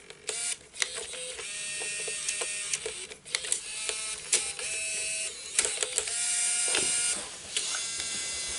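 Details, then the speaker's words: Bose Wave II multi-disc CD changer with loading fault: small motor whirs in short bursts between sharp clicks as it cycles, but the disc is never picked up. "There seems to be an issue with the loading on this one. Let's see if we can correct it today."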